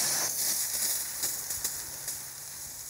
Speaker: Hear the air hissing.